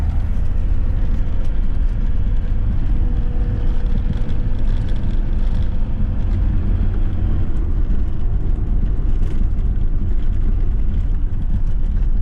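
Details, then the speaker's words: Ford Transit Mk7 front-wheel-drive van on test drive after replacing driver's side front wheel bearing that had rumbled for weeks; only smooth, even low road rumble, no hum or growl, silky smooth, normal quiet driving. "Silky smooth."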